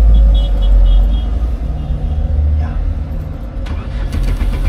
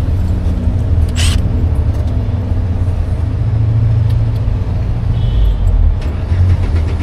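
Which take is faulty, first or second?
first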